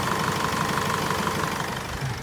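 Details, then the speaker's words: Mazda 6 2.2 diesel idling after timing chain replacement: soft, even diesel clatter with no chain rattle or ticking, slight idler/pulley bearing whine noted; previous rattle gone, healthy normal idle. "Okay, and there's no ticking noise anymore, tapping noise, all quiet."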